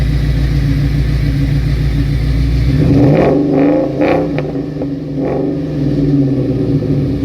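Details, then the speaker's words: 2003 Ford Mustang Cobra V8 with a dead cylinder, heavy oil burning and knocking, revved to about 4,000 rpm with visible smoke: uneven, lumpy note with irregular stumbles; rough running, a vacuum leak suspected, cause not confirmed. "now I can see that it's not having a good day right now"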